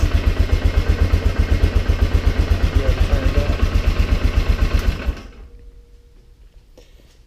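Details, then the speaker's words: Polaris Sportsman 400 fitted with a 500cc cylinder big-bore kit and a new carb: steady single-cylinder thump about four per second with a light rattle, then shutoff; slightly rough idle, owner suspects a crank counterbalancer mismatch with the new piston. "I've noticed from driving it a little bit and letting it idle that it does idle a little bit rougher so probably has to do with the counter balancer on the crank shaft not matching up with this new piston"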